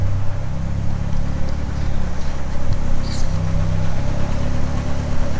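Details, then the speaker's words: Drift car with Bosch 044 pump and cheap FPR, new O2 sensor plugged in: low idle with uneven shake and occasional stumble in the exhaust beat, a misfiring rough idle; miss disappears with O2 sensor unplugged, its signal suspected. "it's got a bit of a shake to it a bit of a rough idle now"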